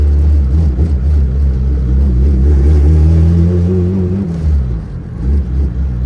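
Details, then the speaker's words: Honda Civic, LS VTEC built turbo engine, driving: deep uneven chugging under throttle, rough stumbles, wavering pitch, nearly stalls; misfiring, owner suspects it is running too rich; cause unconfirmed. "Yeah, still misfiring it down. Oh my God, it's so twitchy."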